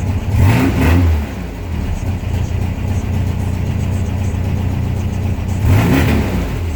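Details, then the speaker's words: 1972 VW Beetle after cold start at 44°F with new heater pipes, choke opening as it warms: engine blips up cleanly twice and settles to an even steady idle, no misses, knocks or rattles: normal warm revving. "Alright, that was the choke opening on up. Yeah, see, warmed"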